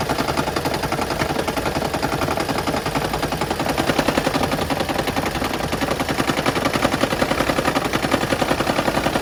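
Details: 2013 Lexus CT200h with check engine light: rapid, steady clatter on cold morning start, lasting until it returns to hybrid running; diagnosed as needing a tune-up, fixed by replacing worn spark plugs.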